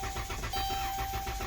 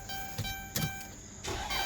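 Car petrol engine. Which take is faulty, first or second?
first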